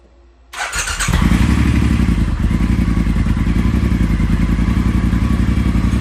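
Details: Triumph Thruxton 1200R twin idling after new exhaust gaskets, open exhaust, decat and a DNA air filter: deep, even, throaty burble after starting, felt in the chest, not harsh or raspy, no misses. Normal idle.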